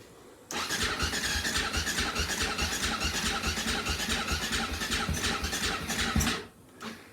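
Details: Husaberg FE450 single that didn't run, after valve adjustment, with choke on and carb cleaner sprayed in: starter spins it steadily for about six seconds with rhythmic chuffing but it never fires; cranks without catching.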